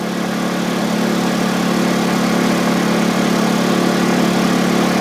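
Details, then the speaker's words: Honda EU2000i generator on propane conversion, 1,500 W load: steady, firm drone with constant hum, no surging or stumbling; taking the load fine, normal running under load. "There's 1,500 watts. Hear the generator working? Running just fine."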